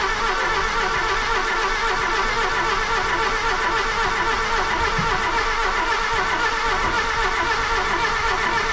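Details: Golf II carburetted petrol engine after the carburettor rebuild, now starting instantly (owner thinks the fault was fuel), smoking slightly white, manifold leaking: smooth, steady run with an even beat and no misfire; normal running.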